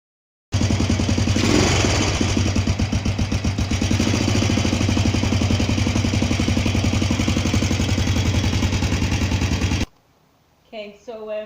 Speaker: was a knocking noise coming out of the engine um top of the engine it definitely sounds like it's the valve so um i took the cover off and started it and there's no oil coming up to the top